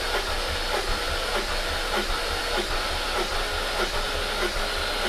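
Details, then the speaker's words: High-mileage supercharged S62 V8 BMW E39 M5 compression test, battery cranking faster, cylinder reading 190 psi: even, brisk cranking rhythm with steady compression thumps; normal cranking. "But definitely, say that that battery was definitely cranking faster then."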